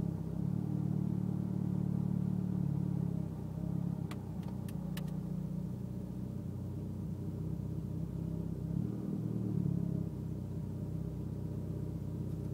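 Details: Mitsubishi Evo X at idle: the idle wavers and dips unevenly every few seconds instead of holding a steady beat; rough idle, cause unclear.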